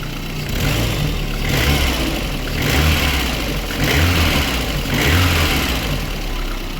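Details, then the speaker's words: Lada Kalina with about 129,999 km on what is believed to be the original engine, warmed to about 55–60°C: low, even idle rumble with a gentle slow swell and no loud knocking on top. The engine runs normally. "машинку прогрів в принципі все адекватно працює"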